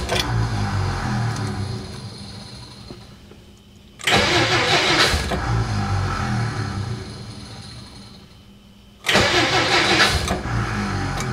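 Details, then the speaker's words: 1957 Plymouth barn find parked 20+ years: first start attempt, two long bursts of rhythmic cranking trailing off with occasional uneven firing but no catch; cranks without starting, owner suspects a starter issue, not confirmed. "Well, it cranked. That wasn't me that stopped it, though. Oh, it's got a starter issue."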